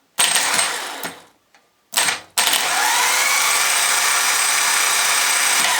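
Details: Jaguar X-type/Ford Transit/Mondeo starter motor bench-tested on an old, slightly flat battery after cleaning and oiling: a couple of short bursts, then a smooth, even, high-pitched whir with no grinding; it now spins freely and sounds better.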